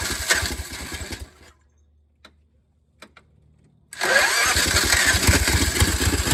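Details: Old golf cart with a bad fuel pump that wasn't drawing fuel, started using a jump box: the small single runs with a quick, even chatter, goes quiet briefly, then refires and settles. Engine shaking is normal. Starts and runs fine.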